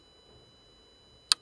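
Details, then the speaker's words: Parmak Magnum solar-powered electric fence charger with lead-acid battery on a bear-proof apiary: single sharp dry tick of the charger pulsing normally after meter and battery self-check. "you can't see it or smell it but you can hear it and you can feel it too if you grab on that wire"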